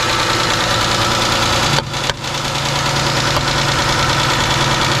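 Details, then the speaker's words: Chrysler 300 Limited 3.5L V6 with a junkyard replacement engine, just started after the swap with throttle help: rough idle with a light, uneven tick about three times a second. Valvetrain noise; owner suspects spark or fuel injectors. "Hold on. That off. We got some valve train noise."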